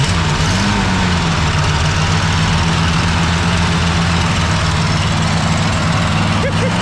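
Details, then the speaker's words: 1965 Ford Galaxie 500 after years sitting, now running on its own mechanical fuel pump: loud low rumble through glasspack exhausts, slightly uneven lumpy idle, smoking a little, leaking water. "Smoking a little bit. Listen to the glass packs."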